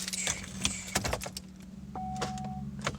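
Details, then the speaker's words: Pontiac Grand Am that has sat for 3–4 days gives a few dry starter clicks over a steady warning chime with no cranking, even with a jump starter connected. "and same exact thing nothing"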